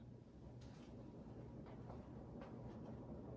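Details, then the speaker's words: Old Jacksonville Jackson 52-inch ceiling fan on high after bearing re-grease, two warped blades set on opposite sides. Quiet low hum with faint irregular ticks, no grinding; acceptable. "As you can hear, it does hum a little bit, and I'm not sure, like I said, if that's just because of the variable speed or if there's something rattling around inside. But it's not terrible."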